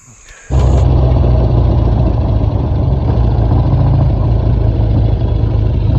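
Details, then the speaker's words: BSA old school chopper single on first road trip: starts and settles into an even, steady thump with no misses or knocks; engine runs well. "It It seems running pretty good, though. >> Yeah, it sounds good."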